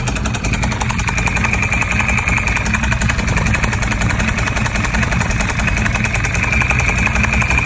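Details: 1098: fast, slightly uneven ticking clatter, about two to three taps a second, over a steady idle; abnormal top-end engine noise, cause unclear.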